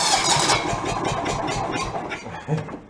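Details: John Deere 160 lawn tractor rescued from the roadside, with its engine, electrical and fuel issues repaired and a weak battery helped by a jumper pack: the small petrol engine catches after cranking and settles into an uneven, rough-edged idle, which is a normal start.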